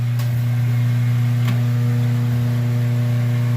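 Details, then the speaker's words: Washing machine with lid switch bypassed: steady low motor hum while the motor runs but nothing agitates or spins, caused by a broken motor coupler. "the water vibrating from the motor but there's nothing going on other than that"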